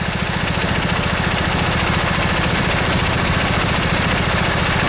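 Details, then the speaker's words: Briggs & Stratton V-twin lawn tractor engine at idle, owner reported intermittent miss with one cylinder dropping out: steady idle with mild slightly uneven thump around 214 per minute, both cylinders firing, no obvious miss; normal. "you can hear that you know these engines are actually fairly balanced from the factory"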